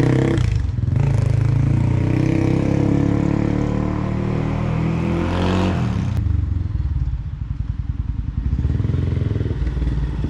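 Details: 2005 Polaris Predator 500 single-cylinder, first road test after full engine rebuild: deep even thump revving and settling without knocks or rattles; clutch, five gears and reverse work, runs healthy.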